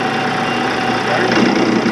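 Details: 16-inch Axelson motor on a second start after its leads were identified and it was found in gear: smooth, even hum with a steady low whirr, no jerking, surging or knocking. Runs cleanly.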